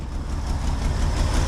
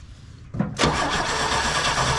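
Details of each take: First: 1968 GMC C1500 pickup, unlicensed since 1997, first start on a makeshift fuel tank feeding the pump: smooth, low, even idle with no misses or knocks. Not yet running perfectly and still warming up. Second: 1968 GMC C1500 pickup sitting 27 years in a field, fed from a gas can hose to the fuel pump: the starter turns the six over evenly with ragged pulses but it never runs. Fuel starvation; the pump isn't picking up fuel.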